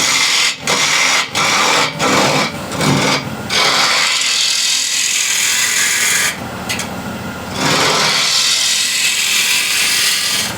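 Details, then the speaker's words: Bowl gouge peeling cut on an ash bowl held in the chuck on a Killinger KM 1450 SE lathe at 1200 RPM: steady, even shaving hiss with no rhythmic thump or chatter, no more vibration from the uneven screw-chuck surface, cutting smooth and true. "So you can hear now there is no that vibration from uneven screw chuck here, the surface here."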